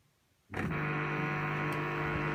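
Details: Two-month-old LG 11kg Steam Direct Drive F1495KDS washing machine in the wash cycle: a sudden, loud, steady electrical buzz over a low hum, varying in intensity up to 66. The recirculation pump is suspected.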